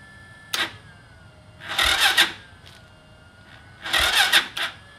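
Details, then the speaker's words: Stick-shift go-kart with 200cc Lifan engine, old carb refitted and valves set to 0.05 mm intake, 0.08 mm exhaust: starter whirs in two-second bursts but never catches; has spark, fuel and air, cause unknown. "So it's getting spark, it's getting gas, it's getting air, it still won't start. And I really don't know why."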